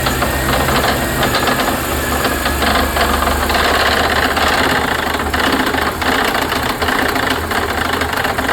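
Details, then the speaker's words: 2002 Mercedes-Benz C32 AMG, supercharger making no boost: loud engine with harsh, irregular knocking rattle heard when letting off throttle after trying to boost; persists with stock pulley and tune; supercharger bearing, clutch or pulley suspected, unconfirmed. "And you don't really hear that knocking sound until you let go of the throttle, and then you just hear it and it sounds terrible."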